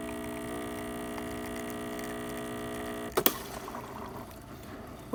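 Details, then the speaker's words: Breville Barista espresso machine after replacing a leaking, buzzing solenoid valve that had been tripping the breaker. A steady pump hum runs about three seconds during a single-dose test shot, then a valve click and soft hiss: normal operation. "we've replaced it and now it's working just fine so we'll test it yeah"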